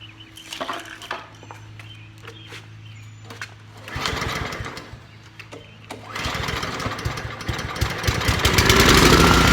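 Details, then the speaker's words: Trash-picked Honda Commercial HRC216HXA mower, air filter packed with grass removed, carb cleaner sprayed into carburetor: pulls, coughs, then fires and revs roughly; owner suspects clogged carburetor or needs more gas. "well we got a runner that tells me that the carburetor is clogged I bet or just needs more gas"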